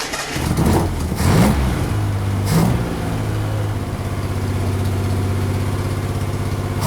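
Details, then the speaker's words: Engine started on five cylinders with one spark plug lead off: blips of revs, then a lumpy, pulsing idle with an uneven beat as one cylinder is not firing; misfire from the disconnected plug. "I think it was running on 5 for some of it. Well, it was because I had a plug off when you fired it up."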